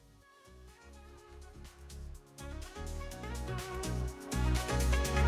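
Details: Yamaha KX-330 cassette deck after repair, having had metal-grinding noise and speed changes blamed on the capstan motor; motor cleaned and bushings lubricated; clean steady playback, no grinding.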